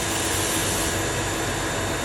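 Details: Small pressure washer after repair and reassembly, test run for two minutes: loud steady rush of motor and spray at even pitch with no surging or hiccups; previously sprayed then cut out, now running healthy with no leaks.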